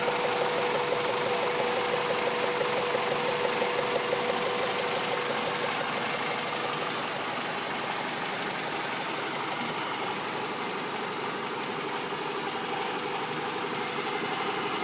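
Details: Honda B16 petrol engine, parked a month and started every other week, idling with a light steady tick about three a second; a ticking valve or a misfire is suspected, not confirmed.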